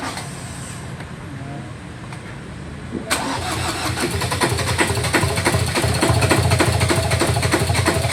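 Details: 2018 Ford Ranger 2.2 diesel: starter spins the engine at a steady churning beat, about three turns a second, but it never catches and runs. Crank, no start.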